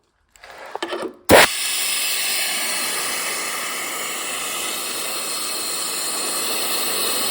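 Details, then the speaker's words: Laguna vacuum inverter on a compressor hose, valve closed: sharp click as the hose plugs in, then a steady high hiss of escaping air from the unit; it leaks as soon as it is connected, though it worked fine before. "The valve is in the closed position right now, and what happens is once I plug the thing, it just starts leaking air."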